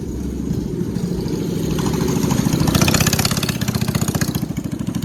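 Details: Chopper 212 mini bike, front sprocket came off (likely missing screw), test run with exhaust not fully fitted, governor still on: single pops along, revs rising and falling smoothly with even crisp exhaust beat, no knocks; engine healthy.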